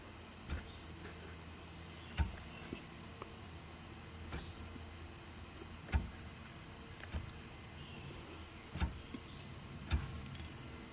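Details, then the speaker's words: Dodge Charger SRT8 with newly installed Wavetrac differential, on ramps, parking brake on, input flange rocked by hand: irregular dull clunks from excessive play; bumps when shifting Drive to Reverse. "it has a lot of play back and forth between when it locks the axles into starting to try to move them in one direction and going into the other direction so you can hear that clunk in there too"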